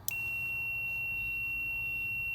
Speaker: So now when I energize the relay, you should hear the multimeter beep, indicating that it's completing the circuit from terminal 87 to 30.